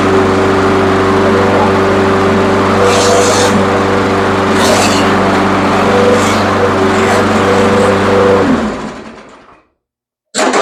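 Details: Troy-Bilt mower with an old-style Briggs 550 engine, after cleaning the plastic carburetor and fitting a new diaphragm: steady, even single-cylinder putter at a constant speed for about eight seconds, then shutdown. Normal running.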